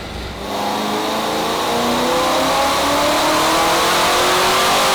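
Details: Supercharged C5 Corvette Z06, revived after over three years in storage, on the dyno in small steps: clean, strong rev climbing smoothly with no knocks or misses; about 10 psi oil pressure afterward; healthy running under load.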